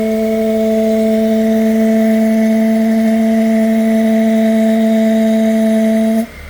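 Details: 1UZ-FE V8 on a Link Monsoon ECU with a 2-wire idle speed control unit from a different manufacturer and no heavy-duty hose: a loud, steady ~200 Hz hum with overtones, then cut-off, as the idle control valve resonates through its hose.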